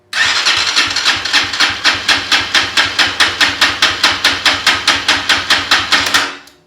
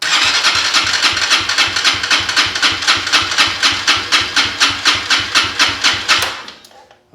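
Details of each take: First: KPR200 motorcycle compression test, wide-open throttle cranking, after setting intake valve lash from zero to 0.08 mm spec: strong, even beat about two strokes per second; 192 PSI versus roughly 140 before. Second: Venom KPR200 motorcycle, compression gauge fitted, wide-open throttle, battery tender on, intake valve set to zero lash: even cranking about four compression pulses a second, then stops; reads about 140 PSI, compression reduced by zero intake lash.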